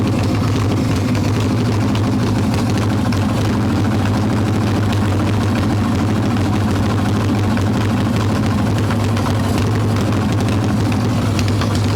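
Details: Harley-Davidson Evo Softail V-twin, warm, no choke, carb loose with choke plate off, mixture screw around one turn out: constant-speed low idle with lumpy, uneven beat; intake air leak, later traced to loose intake bolts and cracked vacuum cap.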